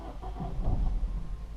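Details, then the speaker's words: Salvage Cat N Ford Fiesta ST180 with Clifford alarm, fuel gauge near three-quarters, key fob battery low warnings: engine catches for a second or two then cuts out at once; owner suspects the standard Ford immobiliser, not confirmed. "if we start try start it again starts and then cranks and stops"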